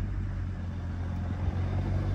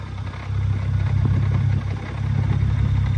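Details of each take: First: BMW 135i with a 550i/335is clutch and lightweight flywheel, idle raised by foot to about 900 rpm: steady low engine hum, flywheel rattle mostly gone; letting idle drop back brings a deeper knock. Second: BMW 135i with 550i/335is clutch and lightweight flywheel, Burger sport muffler, at stock idle recorded from a distance outside in wind: loud idle with loose uneven clatter over low rumble, typical lightweight flywheel rattle, resembling slight engine knock.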